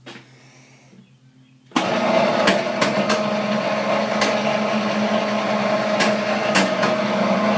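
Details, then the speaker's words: Chinese-made sugar cane press, new model, running with an unexplained noise: steady mid-pitched drone with sharp irregular clicks about every half second. It seems to come from the lower area rather than the rollers; there is no play and everything is tightened. Source unclear. "again it sound like the noise is coming down in the lower area not up in the area where the the rollers are"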